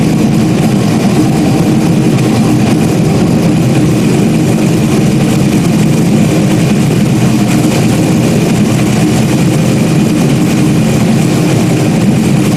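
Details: Stock-block 5.3 V8 race car just rebuilt after almost a year, idling after its first start: deep, steady, even idle with no knocks, misses or whine over the rumble; healthy, nice tone. Normal idle.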